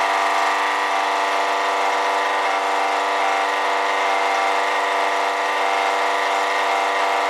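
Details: Honda EB1500X generator running: steady engine hum with a strong high-pitched whine that gets louder when load is applied; owner suspects a bad alternator bearing.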